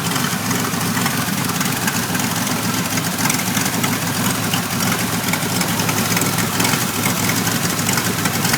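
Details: 1991 Pontiac Firebird V6 still setting codes 33 and 43: uneven, lumpy idle under a steady rumble with no clean rhythm; rough idle, cause not yet found.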